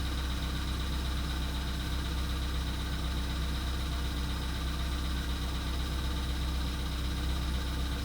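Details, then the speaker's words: VW Polo Sedan (CFNA), 102,239 km, cold start at −2.5 °C, oil probably due for change: cold idle with a dull, fairly regular tap about four times a second over the rumble, knock persisting about two minutes. "Так, почти вторая минута проходит уже. 2 минуты стучит."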